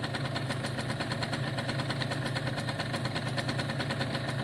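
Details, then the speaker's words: Italjet Formula 50cc two-stroke paddock bike, choke off: a steady, fast, even putter with no stumbles, surges or rattles; normal idle. "But let's make sure it idles now for a good 10 minutes. That's what I want it to do. I want it to kind of clean itself out."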